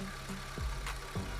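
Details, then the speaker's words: Honda Civic FD 1.8 2008 at idle with engine running and A/C on so both radiator fans run, after replacing the passenger-side (left) radiator fan motor and wiring: strong even airflow, quiet, no noise; previously loud noise. "นี่ครับก็ทำงานปกตินะครับเสียงเงียบนะครับพัดลมแรงนะครับใช้ได้นะครับเสียงไม่มีนะครับ"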